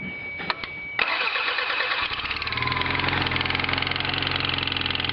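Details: Toyota MR2 Turbo: after cranking and starting, a quick steady tick keeps time with the engine over the idle. Mechanic suspects a warped exhaust manifold, unconfirmed. Ticking at idle.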